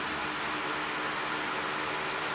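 Steady, even rush of air with no ticks, rattles or wavering pitch; the fan motor is running normally.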